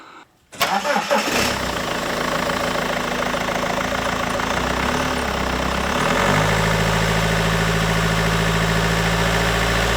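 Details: BMW 120d E87 with the M47 diesel after replacing all four glow plugs (fault code on cylinder 2) and cleaning heavy carbon from the inlet manifold and EGR valve: brief crank, clean catch, then a steady, even idle that picks up smoothly. Normal start.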